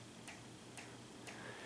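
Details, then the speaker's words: Ceiling fan on medium speed in a quiet bedroom: light regular tick about twice a second as the fan wobbles; clicking stops on low and high, owner suspects the wobble causes it. "press it on medium here it goes and eventually it's going to start clicking again you see i can i can see it's wobbling here click"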